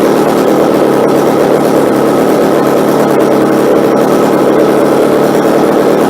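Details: McCulloch chainsaw small two-stroke during tune-up, holding a steady, buzzy idle without surging or stalling; carburetor setting sounds right, normal idle.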